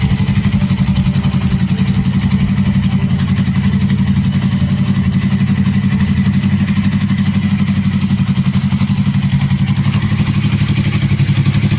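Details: Suzuki Inazuma GW250 twin with newly fitted custom exhaust, outdoors: steady even low thump at idle with a few throttle blips, loud exhaust note, no knocks or misses; normal idle and revving.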